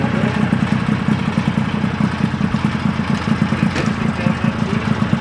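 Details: 1974 Johnson 440 two-stroke snowmobile, long-stored, first run after salvage: rapid, even popping at fast idle, steady and unbroken; running cleanly.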